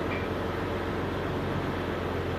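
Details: Jeep Grand Cherokee WJ in two-wheel drive with the front driveshaft not driven: steady low drivetrain hum with no clunks or knocks. The clunking grinding in 4x4 was the transfer-case-end CV joint on the Rzeppa front shaft, fixed with new yokes and a double cardan.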